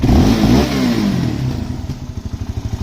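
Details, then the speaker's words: Suzuki LTZ400 quad after swapping OEM carburetor for a cheap Chinese carb with jets changed, in rain, ridden after starting with a little choke: revs drop into an uneven chuffing idle with a few pops on let-off, possibly lean; otherwise running pretty good. "was a little poppy that time all right so she's running pretty good"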